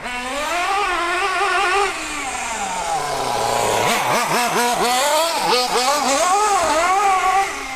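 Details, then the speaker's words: MP9 nitro RC car after a small low-speed needle adjustment: small nitro engine revving up and down with a high buzz, a few sharp backfire pops as it lets off. "Bit of a backfire there, did you hear that?"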